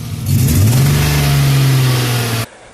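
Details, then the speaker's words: BMW E34 with M50B20 engine: revs unevenly with a rough stumbling note and dropouts under acceleration, then cuts off; misfire, sounds like running lean; mass airflow sensor or cracked pipes suspected, not confirmed. "basically there are drops in the acceleration you can feel that not all fuel is burning and it sounds like it's running lean"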